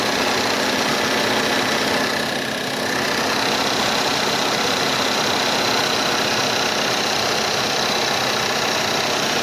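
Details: 2012 1.8 TSI Combi, cold start: busy, uneven knocking at about four per second through the idle note. Cold engine knock of unknown origin.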